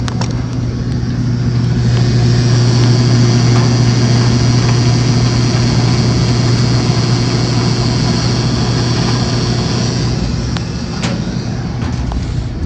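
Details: Maytag washer in spin after belt reinstalled; customer complained of loud noise while spinning, traced to a broken damaged water pump; smooth steady motor hum, no grinding; normal spin.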